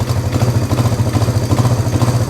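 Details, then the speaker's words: 1971 Honda CB350 twin, warm, idling with a lumpy, uneven low pulse; one carburetor throttle is not opening with the other, so that cylinder lags; throttle is uneven. The bike was previously claimed to have low compression. "You hear the engine change? That one hasn't moved yet. So, right off the bat, we know that the throttle is not even."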